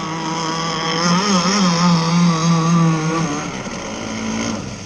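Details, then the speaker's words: Zenoah 30cc two-stroke in an RC boat at about three-quarter throttle, low and high needles just tightened: drone wavers and sags instead of climbing, then drops away; bogging at part throttle. "I have it. It's bogging down a lot. That's all. That's like 3/4 throttle."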